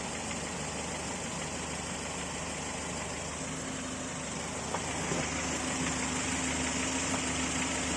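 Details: Volvo 940 at fully warmed idle: regular light tapping about three per second from the bottom end, appearing only when warm; piston slap suspected, not confirmed.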